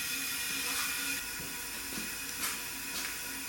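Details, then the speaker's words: 1974 Jaguar XKE E-Type V12, leak-down test on cylinder 4A: steady thin hiss of air escaping through the exhaust, felt even with a rag over it, pointing to a leaking exhaust valve; cylinder head must come off. "You can hear the air coming out of the exhaust on the other side. I'm hearing if I put a rag over the exhaust, and you can feel the air coming out of it anyway, as well as hear"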